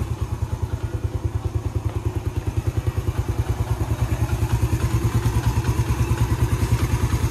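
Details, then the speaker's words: Yamaha Vega ZR after crankshaft bearings were replaced for rough whining engine noise: steady, even idle thump about three beats a second with no roughness or whine. "Alhamdulillah ini langsamnya sudah halus. Coba kita gas sedikit. [Musik] Oke, ini langsamnya sudah sangat halus, sangat berbeda jauh dengan yang sebelumnya."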